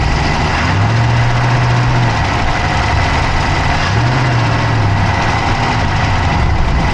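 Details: Dodge Charger Hemi V8 at steady idle, recorded inside the engine bay on the passenger side with an Insta360 Go3: a fast, light ticking rides over the top; an engine tick at idle whose source is not identified.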